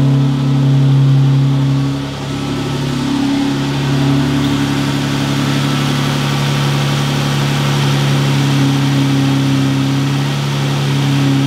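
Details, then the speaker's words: Jeep Wrangler 3.6 L Pentastar at idle after replacing a broken rocker arm to fix the rocker/lifter tick: smooth, even idle with a steady low hum and no ticking; valvetrain quiet. "no click it's got no click no click she's purring again i'm happy i'm so happy"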